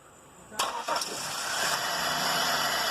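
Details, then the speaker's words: 2000 Pontiac Bonneville with intermittent stalling and rough running: starter engages, engine fires first try and settles into a steady hum; running well, with battery voltage at the PCM. Faulty ignition switch found as cause. "right. Now you see there, it's running good, and we're at battery voltage."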